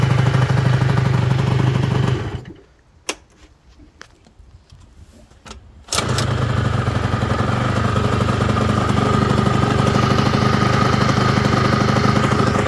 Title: peugeot ludix/speedfight engine popping after rebuild